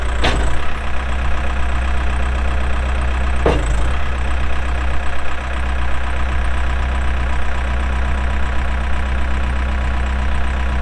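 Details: 2007 Case 580M Series 2 backhoe, 4WD, Extendahoe, pre-emissions diesel, 3,812 hours: steady, deep diesel rumble holding even with only a couple of brief knocks; runs good, hydraulics strong, normal healthy running.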